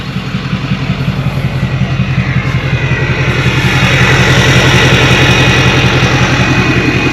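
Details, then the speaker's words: Diesel truck after turbo replacement and fuel cooler secondary system priming: even, regular idle clatter about three pulses a second, no whistle or miss; purrs, no leaks, normal idle. "Truck sounds good though. Purrs."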